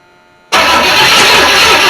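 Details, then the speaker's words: 1983 Chevy C10 on first start of project, open headers, vacuum lines capped, fuel in carb, choke set, timing retarded slightly: catches abruptly and settles into a loud, raspy, steady roar; healthy start, no knocks heard. "if it does fire up it's going to be loud because it's open headers so i'll go ahead and let you listen to the music of my people for a minute"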